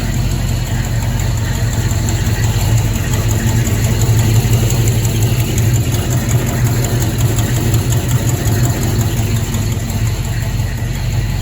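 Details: Buick GS idling after its loose bolts were tightened: a deep, steady V8 idle with no knock or tap, sounding much better; normal idle after the fix.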